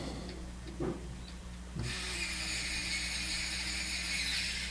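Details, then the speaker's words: 57-piece precision power screwdriver (torque 0.1–0.3 N·m) on torque setting 1 driving a screw. A quiet motor whir, then a steady high hissing chatter as the clutch slips at the screw, a normal torque-limit slip that prevents over-torquing. "Got a nice feel to it. It's not going to over torque on 1."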